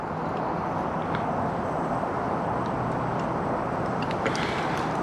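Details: Ooni Fyra pizza oven converted from wood pellets to propane, burner turned up to high: an even, strong roar holds steady with no sputtering or popping; burner running cleanly on high flame.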